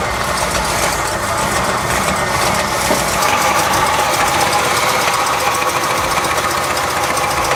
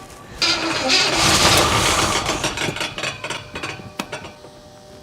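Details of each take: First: 1977 Oldsmobile 442 barn find, first start in 30 years after installing a new fuel pump fed from a gas can: engine catches and holds a fast, fairly even run with a steady exhaust beat, no knocking or stumbling; normal running. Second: 1977 Oldsmobile 442 barn find sat 30 years, first test fire on starting fluid with new spark plugs: brief rough burst of uneven stumbling pops fading away, not getting fuel (fuel pump later found dead); misfire.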